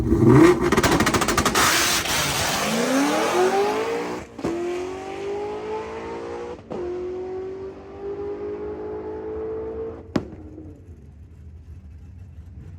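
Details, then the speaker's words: Drag car testing at Thompson: the 3,000 rpm two-step, lacking a 1D table, cut ignition on a 3-4 shift at 8,000 rpm. Revs climb, then cracks and a bang as the backfire stalls the engine, and MAP maxed at 58 psi, possibly near 70. "that ignition cut created such a backfire that the car shut off and then the log maxed out the map sensor at 58 PSI for over a second before it came back down"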